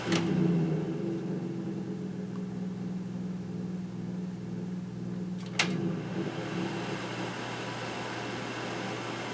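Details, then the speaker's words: Kaz V3100 evaporative humidifier on low fan speed: low steady growl under the squirrel-cage fan hum with a couple of sharp clicks, caused by a broken fan motor mounting post letting the motor rumble. "i'm going to turn it down to low speed there's a little bit of a growling going on there and i want to see if we can see if we can do something about that here so"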